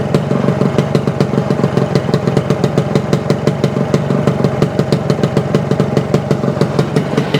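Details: 1975 Suzuki TS-250 two-stroke with 6-volt system, after a no-start fix: stator rewired, paint scraped off frame for coil ground, coil remounted, cap replaced. Crisp, even ring-a-ding popping at steady fast idle, no misses or stumbles; firing cleanly, healthy.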